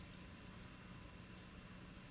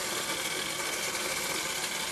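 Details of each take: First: Bosch Serie 6 tumble dryer on a timed program after foreign objects were removed from between drum and housing and all screws were refitted: it runs quietly with a soft, even hum and no scraping or rattling. Normal quiet running after repair. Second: Bosch Serie 6 tumble dryer, drum turned by hand with the machine off: continuous harsh, hissy scraping from a wire or foreign object caught between drum and housing.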